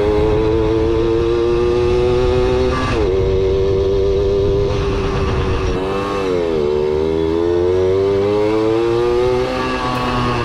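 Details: Kawasaki KS II-50 two-stroke, after carburetor service and tank cleaning, with oil mixed into the fuel because the automatic oil pump is in doubt; climbs cleanly through each throttle blip and drops back, no stumble or bog.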